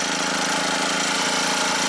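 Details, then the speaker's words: Scrapyard generator revival under load test: engine drones hard and rough at a constant strained pitch with a knocking undertone, muffler blowing out; overloaded with two loads plugged in, working at its maximum. "oh it sounds like she's working pretty hard I guess it's working right at its maximum"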